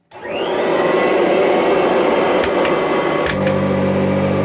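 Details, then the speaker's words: 1984 Kirby Heritage 2 upright vacuum, model 2HD-13, not run for 4–5 months or longer, no tech drive: spins up to a steady high whine and smooth airflow roar, no rattles; normal running, vacuums and grooms carpet well. "sounds good. As old as this machine is, it does not have a tech drive. But it still vacuums rather well."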